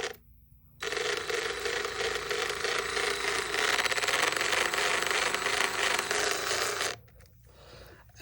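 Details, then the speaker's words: Old, heavily used brushed DeWalt DCF885 impact driver at low trigger speed: rough, rattling whir with uneven, gritty tone; noise does not seem to come from the hammer area, source unclear; abnormal running noise. "yeah this thing is uh quite worn out I have one of my thing hours on it but uh this thing ain't making the best of sounds"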